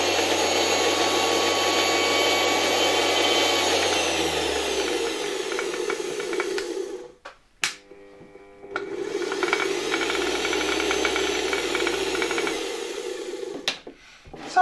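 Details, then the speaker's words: Vintage Electrolux model 7 vacuum cleaner after reassembly and bearing work (22x7x7 mm): motor spins down and picks back up, loose metallic clatter at lower speed and voltage, fine at higher speed; owner suspects a turbine touching. "fajnie działa tak jak już chyba mówiłem na niższych obrotach przy niższym napięciu słychać tutaj jakieś klekotanie Nie wiem może któraś z tych turbin uderza"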